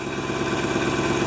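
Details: 1997 GMC Suburban at about minus 6 degrees, after new fuel filter installed, checking for leaks: smooth, even idle with a steady low drone and no stumbles or knocks; normal idle.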